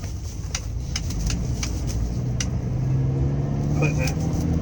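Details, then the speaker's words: Ford 6.8 V10 truck on a road test after repairing a blown-out number five spark plug; exhaust note climbs smoothly under acceleration with no stumbles or popping, and no misfire history recorded, so it is running clean. "anyway seems to be running pretty good road test is complete we have no history of any misfires particularly on number five so I would say we are in good shape"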